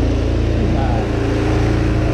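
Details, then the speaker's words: GY6 150cc four-wheeler (ATV) after carburettor swap: small single buzzes at a fast, steady idle, set a little high; air/idle adjustment screw may need turning to lower it. "you may need to adjust that idle air control valve that i showed you right right in there yeah see how it's changing the idle a little bit"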